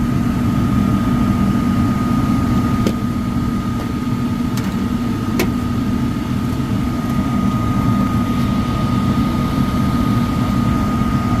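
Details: Likely downstairs furnace, fan-not-turning-on complaint, blower motor previously shaking: on startup a heavy steady roar with a thin high whistle, no grinding; tech thinks bearings sound clear but loud on startup and will check the capacitor.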